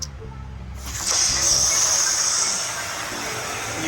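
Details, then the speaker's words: Gas water heater after replacing the temperature and pressure relief valve: lever lifted for a test, a sharp steady rush of water discharges quickly into a bucket via the drain pipe; normal relief valve discharge. "you can see water quickly coming out and close it back it really filled up that bucket fast"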